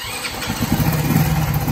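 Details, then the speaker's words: Shineray 50cc motorcycle after fitting a missing rubber cushion to fix a clutch-area banging noise: engine starts cold and without oil, settles into a low steady idle with no heavy knocking; noise has changed. "barulho tá fria tá sem óleo então não vou ficar forçando não mas o barulho já mudou"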